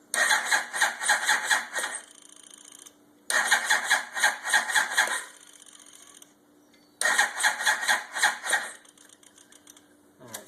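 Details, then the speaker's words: 2000 Yamaha YZF-R1 after engine rebuild, choke on, first start attempt: three slow, uneven two-second cranking bursts without catching; battery weak, booster considered. "the battery's a little weak I might have to put a booster on it"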